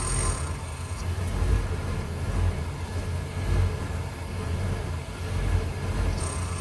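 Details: 1993 Ford E250 5.8L V8: deep rumble swelling and sagging every second or so, a rough hunting idle after 20-40 minutes of running, eventually stalling; IAC valve replaced and EGR blocked with no change, fuel filter replaced; cause unknown.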